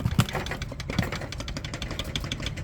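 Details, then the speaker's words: Honda Transalp 600 PD10 idling after a stainless steel spring was fitted between the rear brake pads; even idle with only light tinny tapping from the aluminium luggage box, and no rattle from the rear caliper. "I put a Fed between um it's like from stainless steel and now there isn't any rattling noise from the rear caliber"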